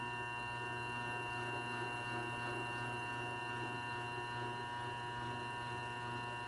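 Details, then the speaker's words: New Grizzly G0758 benchtop mill, first power-up, spindle break-in in low range set about 50 rpm (reads 49), 10 minutes per speed. Quiet steady motor hum with fixed whining tones, no knocks or grinding; normal low-speed spindle. "so now it's 10 minutes running here and then we increment it to one other speed in the low range and then we switch to high we do two speeds in the high range so we're starting out in the low range"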